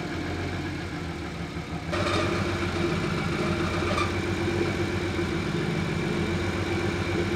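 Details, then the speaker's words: BMW E36 turbo, M50 engine rebuild, restart: engine catches and settles into steady, even idle with light tick; faint high-pitched noise briefly audible then fades away; normal idle. "so at this point that I could still faintly hear the high-pitched noise for a bit it got me a little worried but after letting the car idle for a bit it seemed to just fade away"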